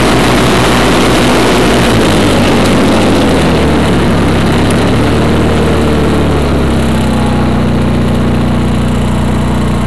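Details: 1991 Craftsman GT6000, 20 hp Onan twin, first mow after deck lift eyelet bolt welded: steady, deep drone under blade load, pulling down only slightly and recovering evenly; normal running under load.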